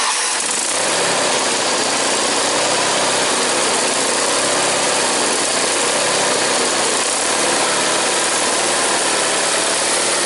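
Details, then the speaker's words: Onan small engine with new clear fuel filter holds a busy, rattly, steady but slightly unsettled idle; best it has run in a while, yet still won't idle until up to temperature. "I spoke too soon. But like I said, this one here, she's picky. She won't idle until she's like up to a certain temperature, so."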